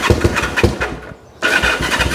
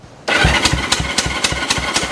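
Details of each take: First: 1974 Honda CL450, first start attempt after 25 years stored, with fuel in it and battery hooked up: fast cranking with ragged pops that catch for a moment, then fade and die, fires but won't keep running; air boxes checked next, cause not confirmed. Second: 1974 Honda CL450 twin, sitting since 1999 (25 years), spark plugs out for a thumb compression test on a jump box: even steady puff-and-whir about four pulses a second; compression sounds strong and healthy.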